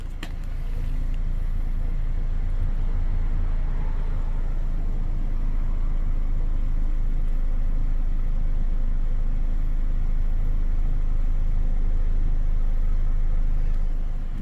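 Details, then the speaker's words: 2009 Chevy Cobalt with 341,000 miles, after fitting a coil pack from a parts car for a slight misfire, heard at the exhaust before clearing codes: a steady, even idle with a smooth low beat, no stumbles, all cylinders firing. Now running smoother. "oh it is running smoother let me go listen to the exhaust before I clear the codes"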